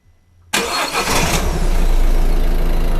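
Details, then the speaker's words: Peugeot 207 SW after replacing the lower engine mount, whose rubber was destroyed and caused heavy vibration and knocks: a quick crank, then a steady, even idle with no knocking or shaking. Vibration had also cracked an exhaust weld. "veis ahora tienen menos vibraciones al principio cuando habéis visto el vídeo se quedaba pegando golpes en el motor y las vibraciones se han reducido"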